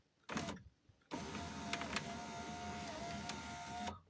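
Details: 2003 Volkswagen Touran driver's door power window, after repairing a frayed regulator cable that had caused grinding and glass dropping: short motor whir, then a steady even hum as the glass travels, no grinding or clicking; normal operation after repair.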